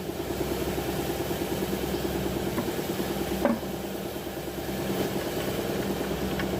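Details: Nissan Navarra diesel with engine misfire code P0304 (cylinder 4), idling with an uneven, lumpy pulse of about three beats a second and a faint clunk midway; sounds like a cylinder misfiring at idle, cause suspected, not confirmed.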